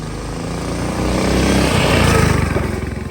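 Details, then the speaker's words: Big block mini bike on first test ride: single pulls hard but firing turns ragged and stutters under load; breaking up, owner suspects flooding from excess fuel after float height was probably upset during carb cleaning, needs carb tuning and float adjustment. "It's breaking up a bit. I think it's flooding itself out from all the fuel going through it, but yeah."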